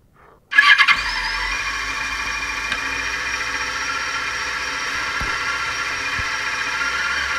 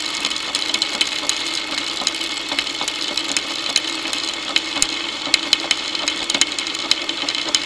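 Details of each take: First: Motorcycle start via a homemade electronic stethoscope microphone: faint key clicks as tumbler pins move, a thin steady fuel-pump priming whine, then the engine catches and settles into an even run; normal. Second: Motorcycle drive chain running unlubricated, heard through a homemade electronic stethoscope microphone: dry, busy chatter of sharp uneven clicks over a high rattle. Owner suspects chain needs lube, wrong tension, dirt causing grabbing and jumping, or a worn front sprocket.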